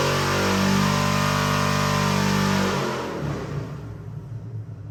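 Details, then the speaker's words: Rebuilt Chevy 454 big-block, 500 hp, Sniper 2 fuel injection, for a '65 Corvette, on the dyno: strong even roar with steady firing beat, then clean shutdown; healthy and smooth. "We're going to fire it up, give you a run demo. Runs great."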